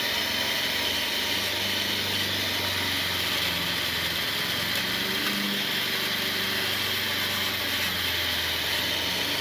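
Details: 2007 car idling: a steady idle with a sharp, hissy edge like exhaust escaping near the catalytic converter. Exhaust leak.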